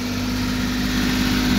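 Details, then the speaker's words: 1978 Porsche 911 SC Targa, 160,000 miles, after startup: steady even hum held well above normal idle; idle can't be adjusted lower, suspected idle-adjustment issue, engine otherwise seems in good shape. "I think the engines in good shape you can't adjust the idle any lower than this so something with the idle adjusts through"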